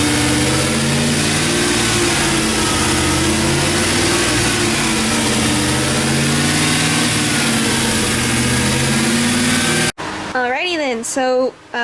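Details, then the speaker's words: 2007 GM 4.8 Vortec LS V8 after lifter and camshaft replacement, during cam break-in revved and varied between 2000–2500 rpm: smooth, even rising and falling note with no tick or knock. Lifter noise is gone; healthy. "basically what I did was rev the engine between 2000 and 2500 rpms make sure you do not go below 2000 rpms and make sure you fluctuate while you're doing that really important"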